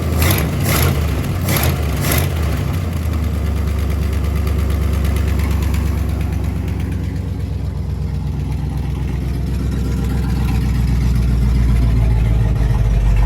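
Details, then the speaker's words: 1955 Buick 322 Fireball nailhead V8, first run after being abandoned: a few sharp clicks, then an even idle with a light, quick tick of about four per second on one side. It clears at higher rpm; a holed exhaust leak or a valvetrain issue is suspected. "I'm ready to get rid of that exhaust leak, make sure that ain't a valve train noise. Dad has a good point. When you bring the RPMs up, it kind of clears up and goes away, so we might have a valve train issue."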